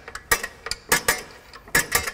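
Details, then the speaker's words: 2004 Honda Element rear disc parking brake, plug removed at six o'clock: sharp metallic clicks as the adjuster is pushed down, each click loosening the shoes to ease rotor removal; working normally. "there's an adjustment in here and i believe to back it off you push it down you can hear it click every time i do this"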